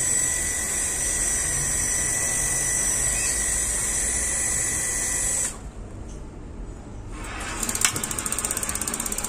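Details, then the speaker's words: Gas water heater with intermittent igniter, tested after hose replacement: steady burner hiss lights on small flame, then cuts out abruptly and quick regular igniter clicks resume; burner cuts out after brief low flame. "baru kita hidupkan langsung menyala sebentar ini api besar atau api kecil ini"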